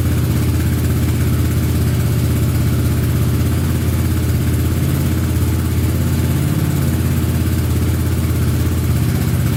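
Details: Honda Big Red ATC 200 (200cc) three-wheeler, barn find sat over 6 years, started after carburetor reinstalled: steady low single-cylinder thump, even and unbroken, no misses or knocks; sounds pretty good, normal running.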